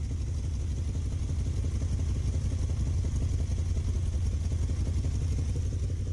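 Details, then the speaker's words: Rough, loping, uneven idle with loose irregular beat and clatter from a Dodge Ramcharger V8 just restarted, choke pushed in; plugs show even tan burn; owner suspects an unfound vacuum leak (carb spray smooths it) and possibly an exhaust leak. "Okay, so we're running. It's still running a little rough. There's some kind of vacuum leak or something that I cannot find."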